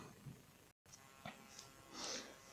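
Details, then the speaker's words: Samsung laptop power adapter hissing strongly under load with laptop connected: steady fine electrical hiss and buzz with handling rustles; owner suspects a winding or capacitor, source not yet found. "ну сейчас дал нагрузку подключил ноутбук он стал сильно шипеть и сейчас мы посмотрим откуда именно идет шум"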